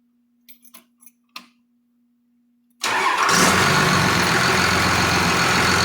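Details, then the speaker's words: Cummins diesel from an old bus with Allison transmission, sat outside about 3.5 years, restarted after cooling down; a few clicks, then it catches at once and runs evenly and strongly with no stumble, a normal start and run. "i'll take that that'd be fantastic i got no complaints about that at all that tells me everything i needed to know it runs"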